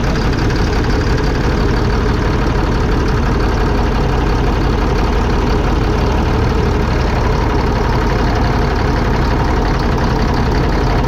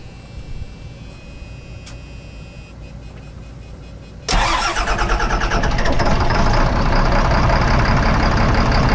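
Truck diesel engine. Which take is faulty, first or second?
second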